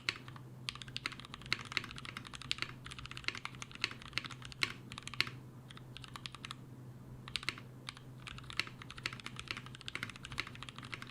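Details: Mechanical keyboard switches lubed with a T2+T3 mix of Brazilian laser-printer fuser grease, trialled as a Krytox replacement; fast, even bursts of soft, muted key clacks, no scratch or ping, smooth well-lubed typing.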